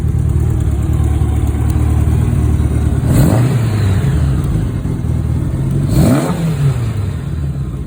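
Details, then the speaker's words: 1984 Honda Goldwing 1200, warm, after setting all carburetor float heights and new fuel pump: steady low idle with two quick throttle blips rising and settling cleanly; no longer dumping fuel, idling perfectly. "I set all the float Heights and now it runs awesome um it's no longer dumping fuel it's idling perfectly"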